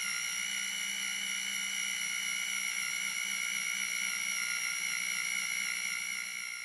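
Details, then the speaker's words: Cobra engine build, oil pump primed with an electric drill on the pump shaft: a steady, even, unbroken drill whine that pulls down slightly as oil pressure builds; oil came out of the pushrod tubes right away, a normal prime. "get an electric drill get her put on and fire it thing up and if you listen you can hear the oil pressure come in as it pulls the drill motor down"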